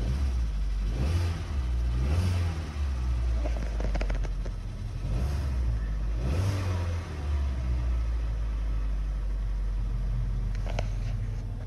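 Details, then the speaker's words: 2020 Hyundai Elantra 2.0 Nu engine, P0017 cam/crank correlation, exhaust cam observed not turning while cranking: after reassembly it starts but runs rough and surges with light tapping; failing VVT cam phaser, unstable. "I mean, it's not perfectly smooth. You can still hear a little bit of tapping noise. But this thing's running."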